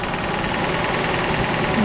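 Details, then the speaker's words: 1986 Jeep CJ7 with a 4-speed, cold-started on choke on a nippy day: a light, fairly quick knock ticking through the idle, first thought a lifter but judged a little rod knock; a broken front exhaust stud was also seen. "I'm hearing a little bit of engine noise. Yeah, it sounds like, I'd say a lifter, but nope. That sounds like a little rod knock."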